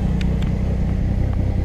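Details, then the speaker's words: $300 project car idling after wiring repair, missing fuses replaced and a new ignition switch: even low rumble with a steady pulse and no misses or knocks. Barely any oil pressure noted; oil level unknown. "I know everything works the engine runs I'm satisfied"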